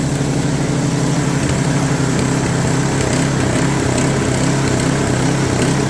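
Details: Customer's snowblower, auger not engaging before; carburetor cleaned for suspected stuck float, drive belt tightened: small single-cylinder engine holds a steady buzzing run, drive spinning faster with no slipping or squeal; runs quite well, some free play left.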